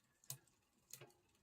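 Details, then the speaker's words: Hybrid bike with a Shimano 105 rear derailleur: sharp, light clicks about every two-thirds of a second while pedalling, from too much gear cable tension set by the barrel adjuster; turning it clockwise stops the noise. "That means that there's too much tension. So there we go, that noise. So if we go clockwise, that noise will disappear."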